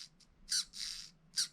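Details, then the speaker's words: Tyco Power Torque slot-car motor run on a 12 V test supply before oiling: shrill high-pitched squeaks in short irregular bursts from dry bearings. It needs a drop of light oil. "yeah you hear the squeak okay so we need a drop of oil before we go too far"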